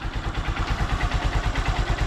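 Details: Honda Supremo (about 5,878 on the odometer, stock sprockets, nearly due for an oil change) after a small adjuster turn to fix hard starting: an even, quick single-cylinder idle with no stumbles or hunting; healthy.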